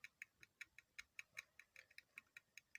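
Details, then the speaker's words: Honda CR-V RD1 distributor on a bench test: the igniter ticks evenly about five times a second but there is no spark; igniter is fine, the ignition coil is faulty, and the car would not start. "So currently there's no spark. But I'm sure you can hear clicking noise,"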